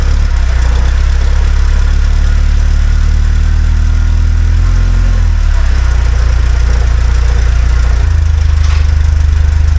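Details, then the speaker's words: 1976 Alfa Romeo Spider revived after 24 years parked, overcast day with a little snow on the ground: deep idle burble wandering and shifting in tone, not settling; uneven idle, owner unsure if misfiring, mixture doesn't sound right. "I'm not sure if it's misfiring or not it mixture doesn't sound exactly right um but it's uh it's a start"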